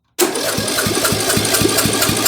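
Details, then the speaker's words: Bolens M762F lawn tractor engine cranked after the valve spring was refitted: even, strong cranking pulses about four to five per second. Compression now reads 100 psi, slightly worn but enough to run. "It's 100 lbs of compression, which is a little bit of a worn-out engine, but that is okay because this should run."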